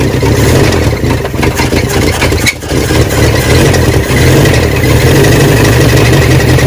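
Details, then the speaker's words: Barn-find 1979 Honda Prelude (sat for years), restarted after topping up slightly low oil. Rough, loud idle with a heavy thudding knock low in the engine, which owners call a bottom-end rod knock. "but it's got a huge rod knock down on the bottom end i kind of had a suspicion of that when we got it and that's probably the reason why it's been parked"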